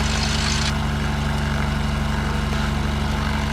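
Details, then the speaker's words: Aircraft engine after sitting 15 years, carburetor with rebuilt silicone diaphragms: loud propeller engine, steady pulsing beat about four per second with slight idle chug at low rpm; owner thinks it's lean, plans richening. "the run smooth otherwise otherwise except for this uh kind of low rpm this a little bit of an idle chug and can we tell if it's lean or rich i think it's lean"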